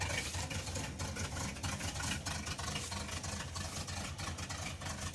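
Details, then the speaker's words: 355 V8 (formerly in a Monte Carlo), now installed in a farm truck, running at idle with an uneven, stumbling beat and dropped pulses; missing pretty bad, doesn't sound like it used to. "Let's see if it'll fire up real quick. Missing pretty bad."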